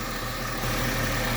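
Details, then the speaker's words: 2002 Chrysler Sebring 2.7L V6 after oil pressure sender repair, at idle: faint on-off hum with a thin high tone. Appeared after the belt was tightened; owner suspects a failing pulley bearing. "I better know what that noise is you hear it I tightened up the belt which means there probably one of those bearings is getting ready to go out in a pulley or something"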